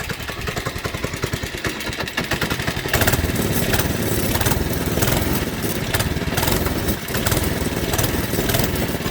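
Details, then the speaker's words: Worn old single-cylinder engine on a Baja doodlebug, warmed up: uneven loping beat that wanders and sags, then stalls; runs rough and keeps dying, cause unknown, being replaced by a Predator 212. "if i guess if you can't already tell why i'm getting a new engine this is why this engine won't run very well anymore it sounds like it's about to die again"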